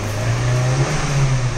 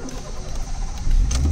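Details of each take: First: Car after fuel pump replacement; any brief initial missing is put down to air in the system: engine revs up and settles smoothly with no stumble or hesitation; pulls correctly and the new fuel pump is working. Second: Honda City with a failing fuel pump that stalls when hot, restarted after waiting about 10 minutes to cool: a short crank, then the engine catches into a low steady hum; it starts once cooled.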